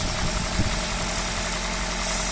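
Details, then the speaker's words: 2012 Toyota Auris Hybrid in maintenance mode after DIY repair of the engine shake/death rattle a garage couldn't fix: steady even idle, smooth low hum, no rattle or tapping; normal idle. "sweet as a nut sounding great again fantastic what a huge relief job done"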